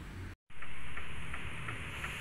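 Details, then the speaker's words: Car engine running with a faint high, thin squeal and light ticking about three times a second; checking alternator, pulley and compressor bearings, one of the pulley bearings is worn. Cause suspected, not confirmed. "Nyalakan mesin kemudian kita dengarkan Hai di mana sih sumbernya ini suara berdecit ini muncul Apakah diberi ngarte nator di bearing puli ataupun di bearing kompresor ya"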